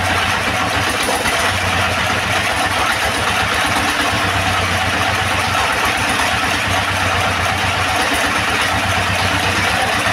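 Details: Second-hand S1115 single-cylinder diesel that would not start (found partly opened by the owner), serviced until it ran; idles with a steady, even, clean beat and no knocks or misses. No remaining problems, and the oil indicator rises well.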